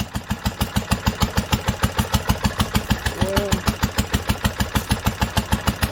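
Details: 1946 International Harvester LBB 3-5 hp water-cooled engine, first cold start after sitting covered a long time, started on the next pull after two choked turns; even firing about two per second with steady valve clatter, no misses, running smoothly.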